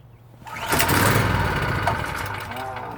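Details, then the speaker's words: PowerSmart PS44 3000W generator that sat unused since 2017, on full choke: catches and runs ragged about two seconds before fading out; fires but fails to start. Owner suspects a fuel problem. "Full choke. Okay. It's probably just a fuel thing. It's just a fuel thing."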